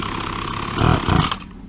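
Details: Petrol two-stroke grass trimmer that wouldn't start or run, after carburettor removal and a spark fix (suspected culprit), primed and started: steady high-idle buzz with a couple of throttle blips, then settling; running normally.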